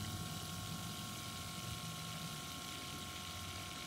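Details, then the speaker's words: T1N Sprinter auxiliary (REST) coolant pump, van not run for a couple of days: the chattering stops and water is heard flowing, a steady even pump hum with a soft flowing hiss; pump running normally. "So yeah, we have an audible alert. Oh, I hear water flowing now. The chattering just stopped. Boy, do I hear water flowing now."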